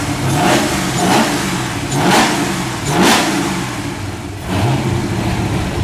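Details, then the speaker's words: Holden VK fitted with a Walkinshaw V8 engine, first running before tuning: several blips, revs rising and falling cleanly with steady burble, no knocks or misses; normal revving. "there's the walkar engine in the VK it's finally going everything sounds good now it's tun time"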